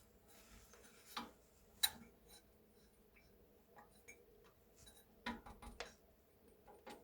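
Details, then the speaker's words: BR232 diesel locomotive KT6 turbocharger, removed, turbine rotor turned slowly by hand in quiet room: sparse light metallic clicks and rattles from loose turbine blades knocking in their mounting ring due to play. "ale wcześniej w momencie kiedy ręcznie napęd wzięło się wirnik torba nie było słychać takie lekkie klekotanie właśnie będące wynikiem luzów"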